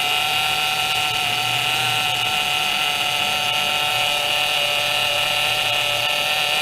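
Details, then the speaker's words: 2007 Pontiac G6 after replacing the leaking high-pressure power steering hose between rack and pump, fluid not low but foamy: steady high whine over the idling engine; air in the fluid making the power steering pump moan. "well this one's not a low of course it's just got a lot of air in it"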